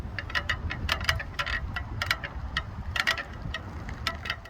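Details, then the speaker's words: Electric bike rear wheel turning, sound from the hub area: irregular sharp metallic pops and pings like popcorn from loose spokes that need attention. "if the spokes are loose and need of attention you'll hear a little bit of a popping noise kind of like popcorn sounds like this"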